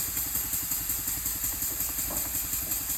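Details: Elmer's #33 model mill steam engine run on compressed air at about 20 PSI via regulator, first test run after final assembly; steady chuffing about three beats a second over constant airy hiss; air leaking at cylinder head and packing nuts.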